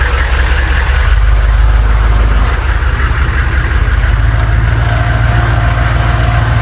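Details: Humvee diesel driving after tightening both bolts on a moving part to cure an earlier noise: deep steady even drone, no rattle on take-off; normal running.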